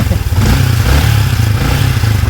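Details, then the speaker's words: Yamaha Sniper 155, 38,615 km, after clearing clogged oil passage, oil now flowing to the top end: deep even engine note with light throttle blip, no top-end ticking or clatter; quiet again. "yan mga boss, tahimik na siya ulit at ang bulsa naman ang magwawala."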